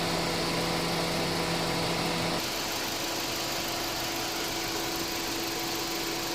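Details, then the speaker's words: Honda City idling with A/C on and hood closed after A/C repair (new clutch plate, compressor oil changed, new drier and belt), A/C pressure not above 250, normal range: smooth even idle with steady hum, slight pitch shift as compressor cycles; normal. "ความร้อนไม่สูงเกิน250บาทอยู่ในเกณฑ์ปกตินะคุณภูมิ3618เพราะครับปิดฝากระโปรงเล่นเครื่องปกติ"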